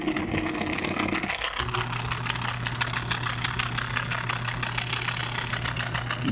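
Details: Samsung washing machine, tub removed, during spin cycle: loud steady low drone with rattling clatter instead of the near-silent hum it should make; drain pump is failing.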